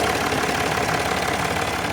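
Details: Land Rover Discovery 4 3.0L SDV6 diesel, loud rattle addressed by replacing auxiliary belt and tensioner: steady idle with even light clatter, no rattle or squeal from the belt side; normal, healthy idle.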